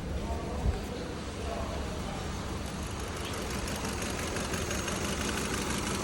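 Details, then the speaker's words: 2015 Kia Cerato just started at idle, scope on the injector signal: uneven stumbling beat about three per second under the engine hum; injector opens but doesn't close, needle not returning, one cylinder misfiring, injector to be replaced. "اشتغلت شباب هاي الاشاره تبع البخاخ وقفت عن الاشاره شوفوا هنا ما هذا البخاخ بيفتح ما بيسكر"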